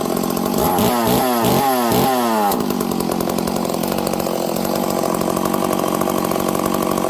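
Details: Stihl 038 Magnum chainsaw after clutch repair, started without choke: revs sharply a few times, then settles to a steady, slightly fast idle, running evenly with no scraping or dragging. Normal running; idle to be turned down to check clutch engagement.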